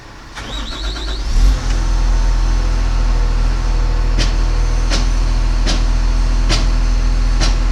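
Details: Machine that often failed to crank at the key, after the start relay was replaced and the neutral and safety relays were cleaned; brief starter crank, then the diesel catches and settles into a steady, even low rumble with no stumbling, running normally.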